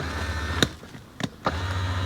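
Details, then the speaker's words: 1990 Corvette C4 barn find: the electric seat backrest motor is tested after repair. A low steady motor hum stops with switch clicks, then restarts smoothly. The motor works normally; the switch still needs more cleaning. "It's working. I think I just need to do a bit more cleaning on the switch. I'm going to do that off camera. She's working."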